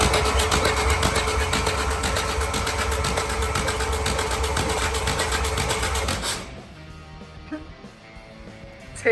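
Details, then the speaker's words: 1929 Ford Model A, reportedly locked up, turned over with the starter for about six seconds: an even chug about four times a second. A finger check shows decent compression in all four cylinders. "seems like it's got decent compression in all four soers yay at least from the from the finger finger met"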